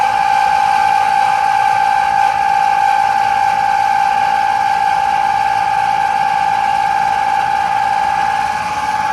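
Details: Air conditioner running: a constant mid-pitched whine riding steadily over a soft rushing background, never changing pitch; an abnormal whining noise.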